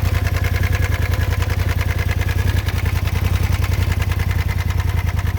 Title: 2018 polaris rzr making engine noise